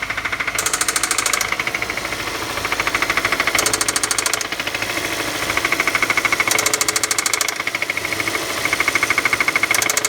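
Sharp, even knocking at about two hundred a minute rides over the idle, a clear spun rod bearing on number one.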